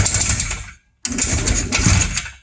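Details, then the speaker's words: 1957–58 Berkeley SE328 barn find with a serviced Excelsior twin, unrun for years, carb float bowl filled, ignition on and push-button start: two short starter bursts turn the twin over with a pause between and no firing yet. Cranking only. "let's see if it'll if it'll fire up mission on okay button start"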